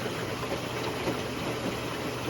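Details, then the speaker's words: Whirlpool Duet Sport front-load washer after refitting a broken shock absorber leg plastic piece with tape and tie wraps: even low drum rumble with mild shaking, no banging or knocking; normal running after repair. "as you can see the whole thing is shaking which is normal i believe"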